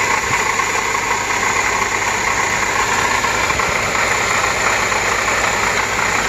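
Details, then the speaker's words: Acura TSX idling after new belt tensioner and serpentine belt: constant whirring rattle from the belt area; worn water pump pulley identified, power steering pump first suspected. "all right so now it's the water pump that's bad"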